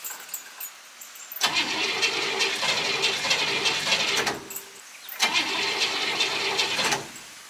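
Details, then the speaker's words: Vehicle with no choke, cold start after about two weeks sitting, several pumps of the gas pedal: two long bursts of fast, uneven cranking that struggle to catch before it finally starts; owner suspects flooding from too many pumps; hard starting. "come on she trying maybe a little flooded maybe too many pumps"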